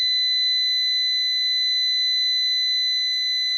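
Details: New PowMr 3.2 kVA / 3000 W inverter under diagnosis; it reports a battery error although the battery reads about 26 V. After a settings reset, a steady unbroken high-pitched alarm tone sounds for several seconds until the buzzer is disabled.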